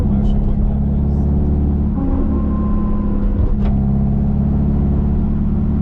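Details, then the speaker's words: Car with limited-slip differential, warmed up, test drive after transmission work: steady tonal whine over road rumble while coasting in gear, breaking off briefly, issue not solved; owner suspects driveshaft; gear whine on deceleration, cause unconfirmed. "letting it warm up and then off we go to hopefully see that the problem is resolved oh didn't solve the issue"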